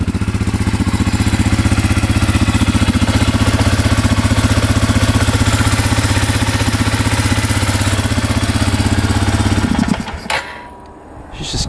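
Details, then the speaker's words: Suzuki Eiger 4x4 ATV single-cylinder after fitting belt and clutch, in neutral: quick slightly uneven idle for about ten seconds then abruptly cuts out; stalls right after starting. "She's dying now."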